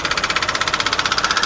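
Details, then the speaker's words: Kia at a salvage auction: sharp, evenly spaced ticking about thirteen times a second at idle, a knock judged to be inside the engine rather than an external pulley; timing chain suspected, not confirmed. "it's so hard to tell where that's coming from is there any chance it's something external like a pulley or no uh-uh that's definitely inside the engine there"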